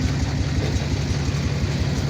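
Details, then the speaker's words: Chevy diesel truck (Dirtymax) idling, check-engine light on, oil pressure about 40–60 psi: lumpy, loping, uneven low beat; rough idle, awaiting a replacement engine. "But yeah, she's not running all great. She's not healthy. She's sick."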